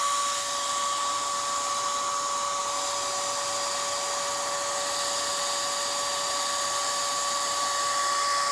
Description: i have dell optiplex gx280 computer.i am facing problem of CPU high fan speed when i turn on the PC.it goes to full noise like a jet fighter and nothing get appeared on the screen and fan continuously gone crazy like that.